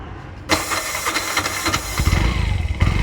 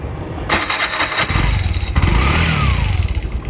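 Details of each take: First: Bajaj BS4 with a new starter whose armature failed, carbon brushes just replaced: sluggish, uneven slow cranking; slow start persists despite new brushes, armature suspected. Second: Bajaj BS4 self-starter after fitting new carbon brushes to a new starter that cranked slow: brisk whir, engine catches and runs on a steady low beat; normal starter cranking.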